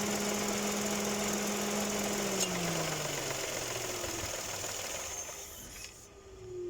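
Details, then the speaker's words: Dodge Attitude 2018 idling: steady high squeal, like a loose belt, appears when the AC engages, from the AC compressor clutch. "Entonces ese rechinido viene de esta parte cuando entra el el aire acondicionado"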